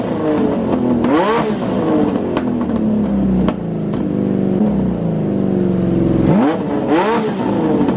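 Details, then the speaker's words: Honda CBX with new Delkavic exhaust, likely first run in about 20 years, smoking: smooth eager revs climbing and falling twice, clean even six-cylinder howl, no missing beats; firing on all six. "But we are running on 6 cylinders and it sounds amazing."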